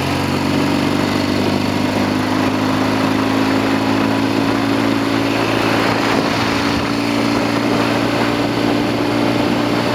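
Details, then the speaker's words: Norton Commando 750 road test after rear wheel repair, with two Amal float bowls fitted: the engine pulls steadily under road and wind noise, and the earlier clunking from the rear wheel does not return. "I want to see more than anything if the rear wheel is behaving itself. I don't want to hear that clunky noise come back."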